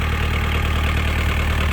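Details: 1998 JCB 208s (1CX) diesel backhoe loader, after rebuilding its clogged injector pump: steady, even idle with a low, regular thrum and no knocks or misfires; engine running healthy.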